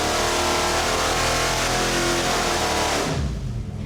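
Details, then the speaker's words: 410ci stroker small-block Ford Windsor, forged internals, ported heads, Terminator X EFI, coil-near-plug, dyno pull: deep, even V8 roar pulls cleanly under load, then drops off sharply near three seconds; healthy, 434 hp, 463 lb-ft, AFRs on target. "Let's see what 410 inches of Windsor sounds like with Coil-Near-Plug."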